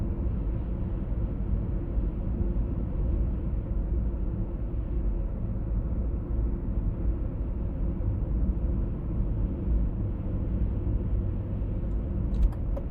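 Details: 1996 BMW E39 523i automatic (pre-facelift): steady low drone filling the cabin over road rumble, heard at 50–60 km/h and also 70–80 km/h; humming source not yet found.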